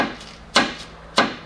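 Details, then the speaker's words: 2002 VW Jetta TDI wagon, 1.9 L ALH turbo diesel, front suspension: two sharp hollow clunks as the lower control arm is worked, from worn arm bushings and ball joint. "This bushing, or better, the entire arm, because it has also bushings right here, and it has a ball joint at the end. All is worn, obviously, right?"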